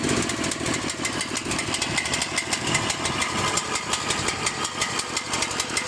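Small diesel chugs with irregular pulses that surge and sag about twice a second; a rough, unsteady idle that could stall.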